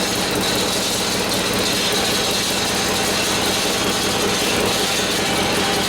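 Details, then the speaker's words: 1967 Harley-Davidson 74ci Shovelhead FLH after transmission rebuild, running with fast metallic ratcheting clatter from the kicker ratchet gear dragging on the main shaft. "all right well the kicker is not screwing around anymore so I think I had to break itself in"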